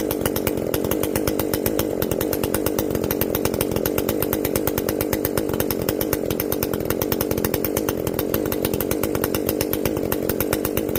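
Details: Echo CS-590 chainsaw after carb limiter removal and opened-up exhaust, high jet turned up a full turn plus low jet richened: crisp, even two-stroke buzz at high revs, steady firing, no stumble or bogging; runs clean, not running hot.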